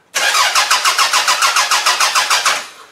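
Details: Toyota Camry demolition derby car, third day not running after it ran fine, OBD1 bypass done: starter chugs evenly about three and a half times a second for two seconds without firing; crank no start from loss of ECU power, fixed by jumping power to it.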